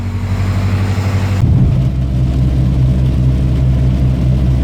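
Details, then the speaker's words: Honda with OBD1 B18B1 engine, warmed up after a cold start, starts and idles fine: under throttle the note pulls steadily then after about 1.5 seconds drops and goes ragged, cutting out under load; still unfixed after injector cleaning. "So if I give it gas, you really can't see that, but it's like cutting out."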